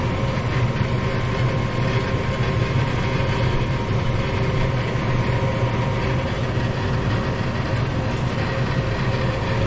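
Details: Furnace after the seized draft inducer motor was replaced with a new one, now heating through its cycle. A steady low hum with a constant whirr and no grinding, squeal or rattle; furnace and inducer running normally.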